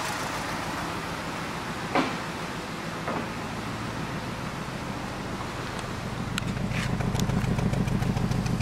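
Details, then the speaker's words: BMW 320i, 2010, 2.0 16-valve petrol engine at idle with a lumpy, uneven, stumbling pulse from a heavy misfire; engine oscillating, check-engine light on, lots of exhaust smoke. "Eu já vi ele tá falhando bastante luz de injeção acesa uma vela porta eh E aí Oi Thalia falhando bastante motor oscilando"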